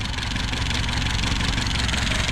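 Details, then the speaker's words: 1969 Opel GT idling smoothly right after a Weber 32/36 carburetor swap and a new water pump; electric fuel pump clicking audible; steady even low idle, no stumbling; no bogging anymore, runs great. "look at that thing runs awesome guys there's a clicky clock of the electric fuel pump"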